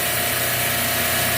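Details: Refrigeration compressor rack with a sticking hot gas solenoid, after that circuit was closed and suction pressure began dropping from 63: a steady, even hiss and hum with no knocking or rattle; the noise went away and the rack runs smoothly.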